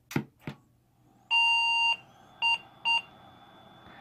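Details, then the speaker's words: Gateway 2000 P5-90 PC with a different motherboard and a faster processor at power-on: one long beep then two short beeps, POST code for no video output because the VGA cable is unplugged. "sound means that I don't have the VGA cable plugged in let me go fix it"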